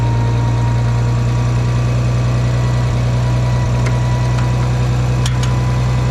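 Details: Farmall 460 tractor, rebuilt engine, after electronic ignition upgrade, during test run after trying fourth gear: deep, steady idle with even low rumble, no knocks or misses; owner suspects timing advance slightly off but runnable.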